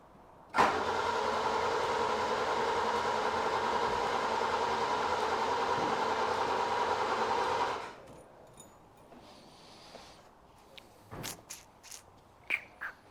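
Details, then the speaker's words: Classic Ford Capri V6 after the rocker covers were rebuilt and the fuel pump relay prong tightened: about eight seconds of steady, even cranking with no firing at all. The fuel pump now runs, but there is no fire; more investigation needed. "So not well. Definitely got fuel pump now anyway. No fire at all though."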